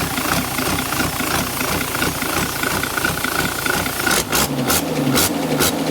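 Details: Turbo leak test on an idling diesel with an HX50 turbo: steady airy hiss with a thin whistle on top, then sharper puffs, a hissing/whistling turbocharger.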